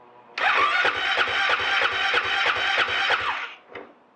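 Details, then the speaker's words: Husqvarna FE 501 in cold Victorian weather on the stock underrated battery, five-second cranks 30 seconds apart: slow labored cranking about three strokes a second, never catching; weak battery lacking cold cranking amps. "but i can hear she's starting to spin up a bit faster so maybe on the sixth attempt"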